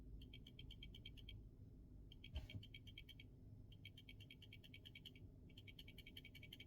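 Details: Samsung S24 Ultra camera modules shaken by hand after removal: bursts of fast light ticking, about seven clicks a second; excessive rattle beyond normal OIS, faulty cameras need replacing.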